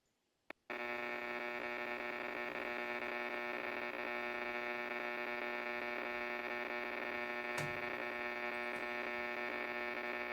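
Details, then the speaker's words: Power line noise received on an amateur radio: even, unchanging buzz with many stacked tones and occasional sputtering, no variation or intelligence in it, typical power line RFI. "So, I think you can hear that buzz. It wasn't real loud, but could you hear it? Okay."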